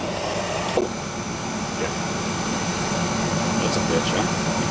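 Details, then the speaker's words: Carlin oil burner previously blowing black soot, after adjustment to a reading of one, burner found not breathing: steady, even roar with no surging, puffing or rumble; now running smoothly. "all right we're at one which is a little bit more nothing crazy she's running smooth too don't Rumble right"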